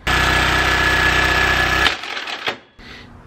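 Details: Craftsman riding mower with Briggs & Stratton engine (16 or 21 hp), running full bore even at lowest throttle setting: screams flat out, then a sharp bang and brief clatter as it dies; catastrophic engine failure, cause unknown.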